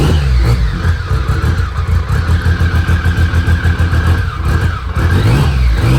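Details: Restored BMW K75 after fixing a vacuum leak and a worn track: strong, even engine note rising and falling cleanly with the throttle, no stumbling or hesitation. It is running healthily.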